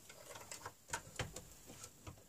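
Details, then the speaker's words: Newly acquired Seagate ST-225 MFM hard drive running: quiet spindle whir with soft, irregular head-seek ticks, nothing harsh or scraping. No strange noise; the old drive sounds healthy. "allez là ils viennent arrêter donc non il fait pas de bruit étrange"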